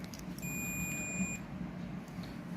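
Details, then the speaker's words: Teco contactor with a 220 V AC, 50/60 Hz coil, energised and pulled in, checked with a continuity meter: a single clean high beep of about one second shows the contact conducting. Normal contact closure. "இப்போ வந்து நமக்கு NCயில் இருக்கணும். பாருங்கள், NCயில் தான் இருக்குது, value காட்டுது."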